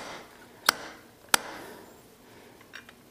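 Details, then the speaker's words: KLX/DRZ 400 fork rebuild, new fork seal being driven: two sharp metallic taps about half a second apart, the second crisper, showing the seal has hit bottom and seated fully. "means that this has hit the bottom"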